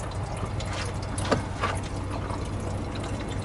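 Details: 1986 GMC S15 with 2.5 Iron Duke engine running, heard at the radiator: irregular bubbling and gurgling coolant over a low engine hum; combustion gas getting in past a failed head gasket.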